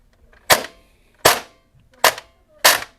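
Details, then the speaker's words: Airsoft P90 with Perun P90 MOSFET, DSG gear and brushless motor, semi-auto test after a gear change, active braking not increased; four sharp, unevenly timed single cracks about a second apart; gearbox piston failure. "Yep. Piston failed. I knew that was gonna happen. That's the sound of a piston failure."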